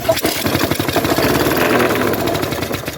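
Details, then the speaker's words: Trash-picked petrol lawn mower started on second pull: rough, fast-pattering run with uneven clatter over it; loose top cowling screws heard, blade also badly bent; loose rattle while running. "as you can see that was the second pull and it started right up it doesn't sound great sounds like something might be loose"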